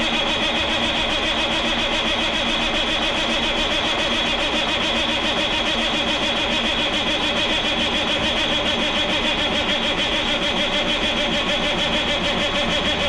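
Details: 1987 Kenworth K100 cabover with CAT 3406B diesel, sitting in a barn about 25 years: steady starter churn about three and a half beats a second, never catches; cranks without firing, engine shutdown fuse later found blown, cause not confirmed.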